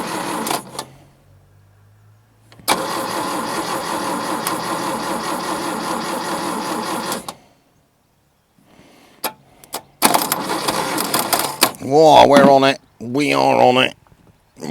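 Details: Daihatsu F20 4x4 started for the first time in years: long cranking bursts with gaps and a few rough catches without running. Distributor was well out, possibly fitted backwards, so the timing was far off number one.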